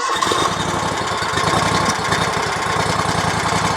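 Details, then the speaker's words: RedMax zero-turn mower with a Kawasaki twin, after the carburetor was tuned to cure surging and backfiring: a steady, even V-twin beat at constant speed with no hunting or popping. It runs much better than before; normal running. "Wow. Wow, that runs so much better."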